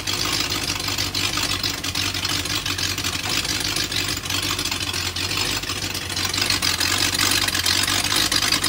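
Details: BMW M62TU V8 (E39 540i/E38 740i) at rough idle with busy rapid ticking and loud exhaust chuff, the chuff because the SAI pipes are off. Timing was set after new chain guides but jumped a tooth while running.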